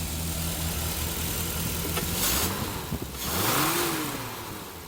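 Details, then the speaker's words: Barn-find Triumph Spitfire starting for the first time in about 40 years after carburetor rebuild and new jet: steady low idle beat, clean pickup on throttle blips; runs well though carburetor still needs tuning. "look it's just sitting here idling after just starting up for the first time in like 40 years it's crazy I mean the carburetor needs tuned up a little bit"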